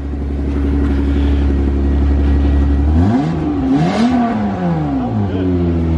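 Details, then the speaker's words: Car driven with steady drone then rev rise and fall with unusually loud, raspy exhaust note; owner suspects an exhaust leak developed over the break, sounds like a beater. "this thing is running so loud now I guess over the break or something is developed an exhaust leak and just sounds like a beater"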